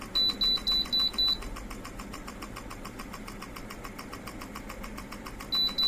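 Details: Ceiling fan converted with a BLDC kit, running without blades fitted: a few quick beeps from the remote, then a faint, even whir at high speed with no rubbing or rattle; the motor runs cleanly.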